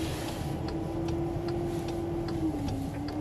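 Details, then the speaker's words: Car being driven at crawling speed onto a car-transporter trailer: steady mid-pitched whine over low engine rumble with faint ticking; source unconfirmed, driver wonders if the DSG gearbox is whining. "Да воет. Слушайте, ну что-то воет реально."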